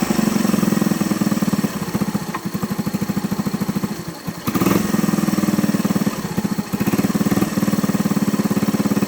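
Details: Honda ATC 110 idling after the carburetor float and jet were fixed for fuel overflow, now with no leaks. Steady single-cylinder putter with an occasional stumble and dropped beat, a misfire at idle the owner attributes to timing (unconfirmed).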